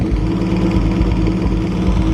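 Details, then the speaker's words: 1937 Talbot 3-litre (3.2 L) straight six running again after decades, warming up with improvised top hose and fuel fed from a tin: smooth, even low idle with no knocks, misses or rattles; normal idle. "starting to feel a little bit warm now just keeping a very close eye on that fan"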